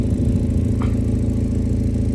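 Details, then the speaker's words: Mazda MX-5 with 56,000 miles, at cold-start idle, heard at the tailpipe: a steady low idle with a puffing chuff that rises when the tailpipe is covered by hand; exhaust leak, blowing. "Come to the back, you can listen to the exhaust. See how it's blowing a bit if I just, yeah."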